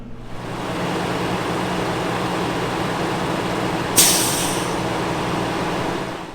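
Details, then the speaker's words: Newmar motorhome diesel engine on raised idle via the on button, to fill the tanks and warm the engine, heading to the Newmar factory service center for a full wall slide repair. An even low drone with a brief air hiss midway; normal running. "And now I'll go over and press the on button in the set, and you'll notice my RPMs jumped way up to help fill the tanks and warm the engine up a little bit."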